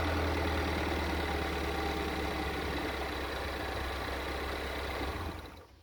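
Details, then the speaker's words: GM 2.4L engine at startup idle, winding down, with faint light metallic rattle rising with rpm; suspected worn timing chain guide, timing slightly off causing fuel pressure codes. "Okay, I don't know if you heard it or not, but with the RPM increase, you can hear like the rattle, timing chain guide, sort of thing."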